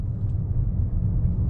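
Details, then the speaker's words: Car at 57,000 on the odometer, previously clunking from a loose bolt at a front wheel; after checking and retightening, only a smooth low road rumble while driving, no clunk or knock; normal quiet driving. "Ừ thì bây giờ thì sau khi kiểm tra và siết ốc đồ lại thì cái cái tiếng kêu đó đã không còn nữa nha các bạn rất là Ok"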